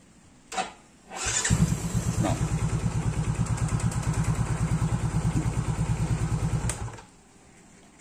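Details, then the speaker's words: Engine fitted with a clean BRZ AR12C spark plug: catches almost instantly on the starter and settles into a quick, even idle with no stumbling; starts easily, unlike with the Pertalite-fouled plug. "Ini saya pakai busi BRZ AR12C di X saya. Buat starternya dia udah gampang karena businya bersih."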